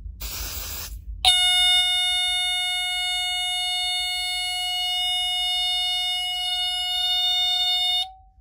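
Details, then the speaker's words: Teledyne Water-Pik D-1 smoke alarm with no test button, tested with smoke spray: brief spray hiss, then a steady piercing high tone sounding continuously; alarm working normally. "and there you have it this is your tell them water pick what it sounds like"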